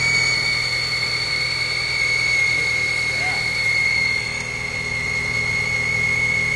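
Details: 2003 Chrysler Sebring 2.4L right after replacing the alternator and power steering belts and tensioner pulley: steady high-pitched whistle over an even idle on first start-up; belt whistle suspected.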